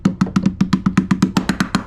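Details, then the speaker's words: Berger yacht, fiberglass threshold with plywood core beside a long-term water leak at the door frame, tapped to find voids: dull low hollow thuds, about seven taps a second, where the wood has rotted away under the screw holes. "but you can see this has been here how hollow that is hear that"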